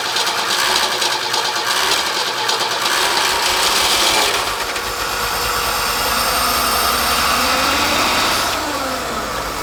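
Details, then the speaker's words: Forklift engine just after fitting a replacement carburetor, choke not connected: light, quick, even beat with bright mechanical chatter, no stumbling at idle; runs smoothly, though it still stumbles at higher rpm. "Well, that was fantastic. Little anticlimactic, but really fantastic. Runs great."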